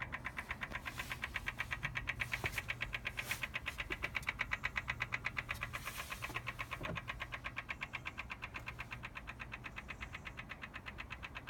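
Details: BMW M4 Competition Pack, cold, ignition off, triggered when a door or boot is opened: quiet, very even rapid clicking repeating steadily with no motor running; intermittent clicking, origin unknown.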